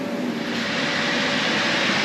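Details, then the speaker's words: Inflation pump running on an inflatable paint booth set up in a barn: constant, smooth rushing hum with a faint steady tone and no surging or rattles, running normally. "Right, you can hear the pump running, which inflates this."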